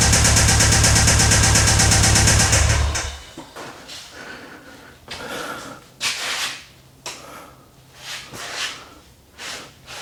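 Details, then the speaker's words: 2008 Subaru STI EJ25 running: loud, steady, regular knock of about four beats a second. Suspected failing rod bearings, unconfirmed. "Like you guys heard the knocking. Yeah, it's knocking. I knew that before I bought the car."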